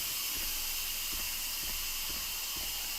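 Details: Instant Pot venting steam after cooking teriyaki sauce: a steady, loud, even hiss with faint low thumps underneath, a normal pressure release before the lid is opened.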